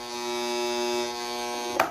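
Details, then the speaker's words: Fan motor that won't turn by hand: steady buzzing hum with no spin-up, then a knock; worn, grooved bushing lets the rotor touch the stator and seize, not a capacitor fault. "Mas aí aqui, ó, vocês vão ouvir o barulho, ó. Tá cheio de ranhura, ó. Encosta lá no estator, ó, ele tem que ficar certinho para rodar."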